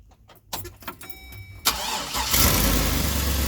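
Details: 2003 Chevrolet truck after reconnecting an open injector connector that set an injector-circuit-open code and caused misfires: starter cranks briefly, engine catches and settles into a strong even idle without stumble; misfire fixed.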